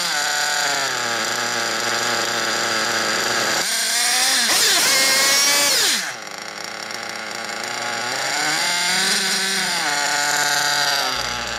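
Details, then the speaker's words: 1/8 nitro buggy engine, fuel line pinched at idle to check low-end needle: high buzzy note rises for about a second then sags as it leans out; bottom-end mixture set correctly, normal idle. "as soon as you let go of the trigger your engine should lay down to an idle immediately"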